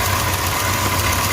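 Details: 2005 Chrysler Grand Voyager 3.3-litre V6 after EGR valve replacement and battery reconnection: smooth, even idle with a steady hum and no ticking or stumbling; running as it should.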